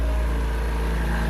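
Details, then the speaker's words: Ex-naval Chinese Suzuki-clone micro van, carbureted, just started on choke: deep steady even drone, no misses, knocks or surges; normal running. "Yeah. Everything's working all right."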